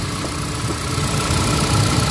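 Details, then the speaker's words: Hyundai Accent gasoline, previously misfiring with codes P0300/P0301/P0302 and no spark on cylinder 1, after the fix with the spark plug tightened and warming up: steady, calm idle, vibration and check-engine light gone. "So ayan sa akin to. Wala na siya vibrate. So okay na."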